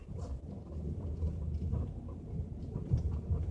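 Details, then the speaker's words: 2012 L322 Range Rover with the right sway bar link removed, test driven at about 10 mph over a bumpy road: only low, even road rumble, with no clunk or rattle. The noise is isolated to the sway bar, with the link ball joints suspected. "nothing no clunking no rattle so that means our problem is isolated to the sway bar"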